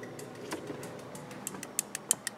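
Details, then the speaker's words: Husqvarna Autotune engine, not running, on the dealer diagnostic tool's fuel valve test: light sharp ticks, roughly six a second, show the fuel valve solenoid clicking and working properly. "you hear that little clicking sound there which means that your uh your fuel valve is working okay"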